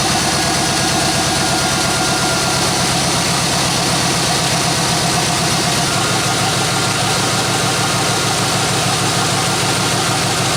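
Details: 1993 Chevrolet C1500 V8 after tune-up with new plugs, on open headers with no exhaust fitted, first start while checking for leaks: loud, raspy idle with even, steady firing pulses and no knocks or misses.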